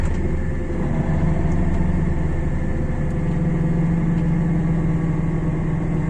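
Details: Car jacked up, rear wheel chocked, engine running in 4th gear in winter (snow/ice may hit wheel arches): raised wheel spins with steady low hum firming slightly; suspected worn hub bearing, not confirmed.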